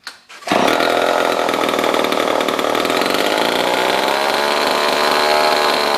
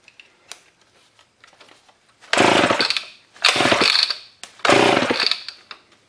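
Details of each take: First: Old Homelite chainsaw revived after over a year in a scrap pile, on a little choke: it catches, then revs up to a steady, high buzzing snarl that holds even. Running properly. Normal running. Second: Old Homelite chainsaw left in a scrap pile for over a year, on carb spray with a sticky recoil: three rough pull bursts with only a faint pop, never catching. Cranking, no start.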